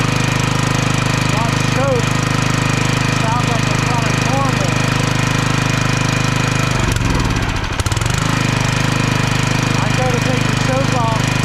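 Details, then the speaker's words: Log splitter engine unstarted for 2 years, fresh gas with Seafoam, throttle full: steady single-cylinder drone sags and recovers, speed wandering; governor hunting, owner suspects the carburetor needs cleaning. "the governor it's jumping back and forth It's not acting right"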